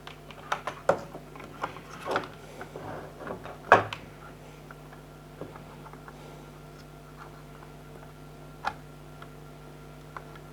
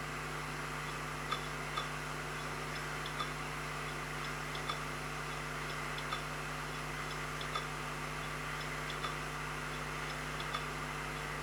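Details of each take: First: Old 80GB Seagate Barracuda 7200 RPM drive, plugged in via USB hub for comparison: a quiet steady low hum with light irregular head ticks as it spins up and idles; normal, healthy drive. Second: Seagate Barracuda 3TB hard drive that no longer fires up, on a SATA base: faint steady whir with sharp ticks about every second and a half, never spinning up properly; failing drive clicking.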